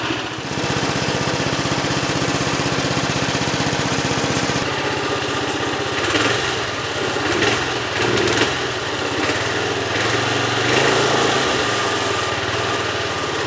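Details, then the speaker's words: Brand-new 1979 Norlett lawnmower, never fuelled or started in 46 years, first run: small single-cylinder runs on a fast even putter with light whirring rattle from the cooling fins; runs normally. "That noise is just the the weird little fins down under here. All right, it runs."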